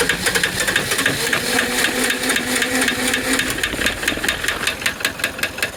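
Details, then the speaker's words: MEP-803A diesel generator that won't start, with diesel fuel sprayed directly into the air cleaner: uneven cranking thumps with a short stretch of firing that fades back to bare cranking; it lights off but won't stay running. "After the hose is removed, it does light off, but it doesn't stay running."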